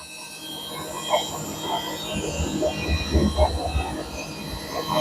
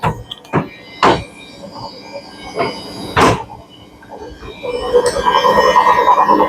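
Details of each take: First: Samsung 7 kg front-load washer after replacing the drum shaft spider, spin cycle: smooth motor whine building as the drum speeds up, no knocking, banging or grinding; repair successful. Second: Samsung 7 kg front-load washer on spin cycle with load, RPM increasing: heavy irregular bangs then rising spin rumble; drum knocking caused by broken drum shaft.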